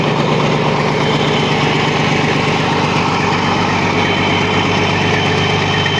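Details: Caterpillar C13 diesel after a major overhaul: steady, even idle with low smooth rumble, no knocks or misses; oil pressure 3, fuel pressure 4.3, all normal, healthy.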